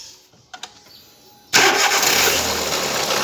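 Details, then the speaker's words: Volkswagen Saveiro (bola) starting: it cranks, catches and settles into a harsh, clattering rattle heavy in the upper range, a timing belt noise found to be a slack timing belt. "Tô aqui com um saveiro. Saveirinho bola. Barulho na correia."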